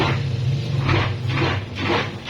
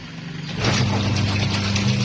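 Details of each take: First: Tornado washing machine running: motor hum with rhythmic scraping about twice a second from the wash tub, as the pulsator rubs a raised ridge beneath it; removing the pulsator quiets it. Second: Tornado washing machine after repair: the motor starts and settles into a steady, even low hum with no rubbing or scraping; previously the agitator blade rubbed on a ridge in its recess, which was removed.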